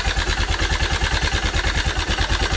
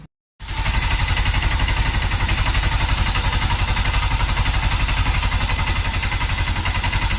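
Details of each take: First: Honda Cargo CG150 single-cylinder, rebuilt a month earlier (cylinder, piston, camshaft, valves, timing chain), began knocking after a hill climb: idle at about ten beats a second with dry metallic rattle from a loosened cam sprocket bolt. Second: Honda Cargo CG150 single-cylinder bike, rebuilt a month earlier, now idling with a steady, even thump. The earlier noise is gone after removing a bolt and adjusting the timing chain, sensor and rocker arms; the lightly scraped chain guide was not replaced.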